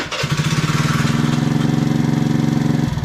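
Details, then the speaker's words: 2020 PMZ50 Honda Grom clone, 139QMB GY6 engine, theft recovery, after reassembly: catches within a fraction of a second, steady even single-cylinder putter, then switched off; normal start and idle. "So let's try it. Oh yeah. Right up."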